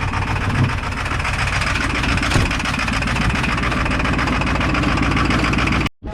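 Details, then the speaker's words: Cold start of an 8-cylinder truck: uneven, lumpy idle with an irregular chuff and stumble in the exhaust beat. Owner says it sounds like it is firing on 4 of 8 cylinders and lets it warm up. "It sounds like I'm firing on 4 out of 8 cylinders. So we'll give it a few minutes to warm up."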